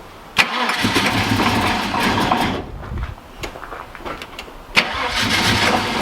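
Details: Holden VN SS Commodore 5.0L V8 with low kilometres, sat for years, fuel pump now cycling: brief crank, then it catches cleanly into a steady, even V8 idle with no misses or knocks.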